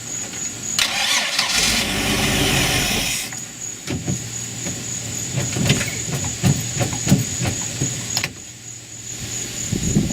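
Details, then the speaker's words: Mercruiser 4.3 V6 boat engine with new block and new fuel pump giving good pressure, possible water in the fuel; starter cranks in steady bursts, turning over evenly but never catching; the carburetor passes no fuel, even to the idle jets. "the carburetor there's something up with the carburetor the carburetor is not letting any fuel into the system at all I mean not even in to the idle jets or anything"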